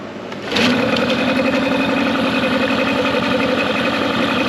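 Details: Mercury 9.9 hp two-stroke outboard, believed early-90s, short shaft, run in a test tank after years sitting with upgraded carb and plugs and maintenance done; catches within a second, then quick even buzz idling in gear, no misses.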